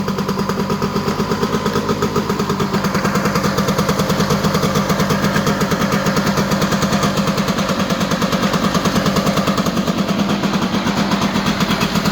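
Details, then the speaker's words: Honda EZ90 Cub single after revival, fast idle, what seemed an exhaust leak is WD-40 burning off the exhaust pipe: even putter with no misses or knocks; running strong and healthy. "I thought it was a little exhaust leak, but I think it's just burning off the WD-40 on the exhaust pipe. Running strong, sounds great."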